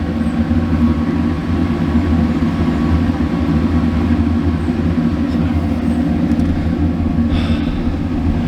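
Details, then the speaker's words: Dometic RV furnace after sail switch fix, running on truck without flue: steady, even low roar with no puffing, banging or dropouts; burner lit and staying lit. "There we go. She lit. She stays lit."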